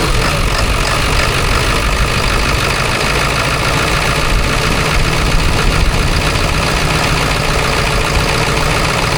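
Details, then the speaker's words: 7.3L diesel truck just jump-started with an AVAPOW A58 4000A jump starter: loud, steady diesel clatter at even idle, no stumbling or misses; running normally. "all right as you can hear it's running it's very loud but it's running"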